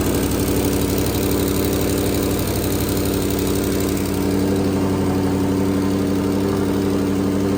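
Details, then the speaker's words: Twin-turbo Ford GT500 after refitting the turbo and T4 joint, O2 sensor and oil change: smooth, even V8 idle with steady low burble, no ticking or puffing at the exhaust; sounds good. "all right so I think we're all fixed up [Music] now sounds pretty good so"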